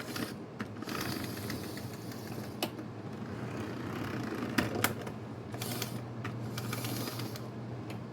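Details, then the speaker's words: Bachmann chassis model train locomotive from a traded lot, first test run: light motor whir with irregular sharp clicks, still runs with lights; owner suspects a broken gear, needs cleaning. "Sounds like it's got the broken gear. That's alright. Still runs though."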